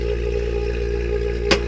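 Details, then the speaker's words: Ducane R-410A AC unit that another company failed to fix (still not cooling): the vacuum pump pulls down with a steady, even drone, constant hum and one brief click, before a factory charge of 6 lb 6 oz; normal vacuum pump running. "We'll open up our core tools. And you can hear the vacuum pump screaming, so"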